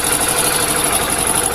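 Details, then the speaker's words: Hero BS6 motorcycle (Splendor/HF Deluxe type) idling with a fast dry metallic 'chan chan' rattle; timing chain suspected, about to be opened and checked, not confirmed. "दोस्तों? इसमें से खड़खड़ाहट की 'चान चान चान' जैसी आवाज आ रही है।"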